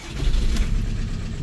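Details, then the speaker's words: VW Golf 4 TDI diesel idling unevenly, vibrating and noisy as if on three cylinders: one-cylinder misfire, injector number 2 or its wiring harness suspected. "Voilà, donc ça vibre. Ça fait du bruit. Voilà. Donc comme vous avez vu, le moteur il tremble beaucoup."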